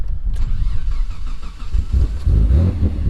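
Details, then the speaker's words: Freshly rebuilt forged twin-turbo Mitsubishi 3000GT VR4 with new coils, completely flooded (wet plugs), started with the fuel pump relay pulled: fires and picks up unevenly, then keeps running about 40 seconds on fuel in the cylinders. "yeah it was so flooded that ran for 40 seconds with no fuel because the cylinders are just full of fuel"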